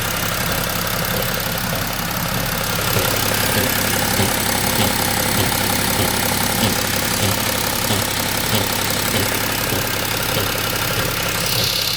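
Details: BMW X3 M57N2 diesel, automatic, 191,000 km, tuned to 262, intake swirl flaps removed, idling: steady tapping about three per second near the intake manifold by the oil filter. Power is fine; owner suspects the flap-control vacuum actuator and linkage.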